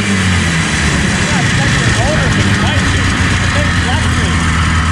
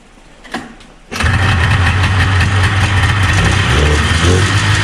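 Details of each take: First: 1977 Arctic Cat El Tigre 4000 440cc free-air two-stroke, Mikuni round slides, after adjusting the needle clip position: idles evenly and picks up cleanly on each blip with no stumble or hesitation; bog gone, normal running. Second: 1977 Arctic Cat El Tigre 4000 440cc free-air two-stroke snowmobile with Mikuni round-slide carbs, cold shop near freezing; catches and rumbles up roughly and unevenly off the bottom; low-end bog blamed on needle clip position.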